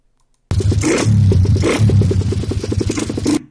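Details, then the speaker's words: Used dirt bike in a seller's video: loud, harsh single-cylinder roar with an uneven pulse that never revs cleanly. Suspected to be badly out of tune (chain kit, valves, carburettor), but not confirmed. "en kit chaine soupapes carbu un bruit de fou il ya moyen que même pour monte pas dans les tours c'est sûr et certain"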